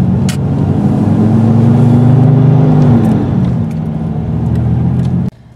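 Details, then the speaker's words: 1996 Dodge Dakota 3.9L V6, other causes already ruled out: a steady loud whooshing roar that swells with engine speed and never drops off; aftermarket fan clutch locked or not cycling correctly. "we just have a fan clutch that's locked or not cycling correctly we can say that too"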